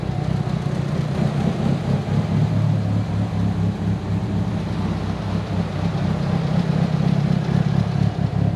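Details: Tial BOV just installed on a car started cold that morning: deep, lumpy, wavering drone that sags and surges, bogging at idle; owner thinks it feels like fuel cut but smells very rich, cause unconfirmed.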